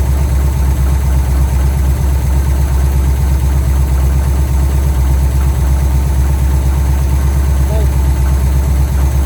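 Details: 1971 Pontiac LeMans V8 at first start in a very long time on a temporary fuel feed after tank drain; deep, steady, even rumble, smooth rhythm, no knocks or misses; clean normal idle.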